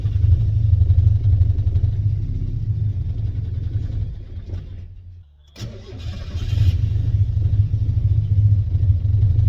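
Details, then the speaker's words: Turbo Miata first start on a new ECU after priming the fuel pump: engine catches and runs lumpy with an uneven, stumbling exhaust beat and dips; sounds like it is not firing on all cylinders, cause unconfirmed. "I was expecting teething problems so I don't know why I sounds like it's not firing or cylinders"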